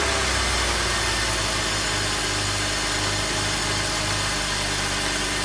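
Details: 2004 BMW X3 3.0, first startup after $800 of mechanic repairs cured its rough idle: petrol engine idles steadily with an even low hum and no misfire stumble, normal idle.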